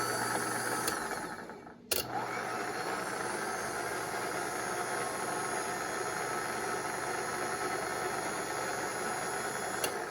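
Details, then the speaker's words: Rebuilt Ramsey 12000 lb worm gear winch for a Kaiser Jeep M715, run under power: steady mechanical whine over a low hum holding pitch, gear whine from inside the gearbox. "I really hear that gear whine in there."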